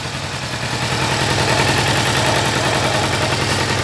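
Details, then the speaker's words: Kawasaki ER-6n twin after engine noise repair (crankshaft, bearings replaced, stator rewound, water pump and mechanical seal replaced); even quick idle about three and a half pulses a second, no ticking or knocking, engine noise gone. "Tá aí, ó, já testada, sem barulho nenhum no motor."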